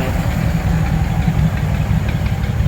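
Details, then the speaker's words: 1936 Ford 1½-ton truck, 8BA flathead V8, first run after sitting in a barn for years, warming up: deep, steady, even rumble with no misses or knocks; firing on all eight cylinders. "I think she's firing on all of them we'll let her get good and warmed up oh man this is awesome"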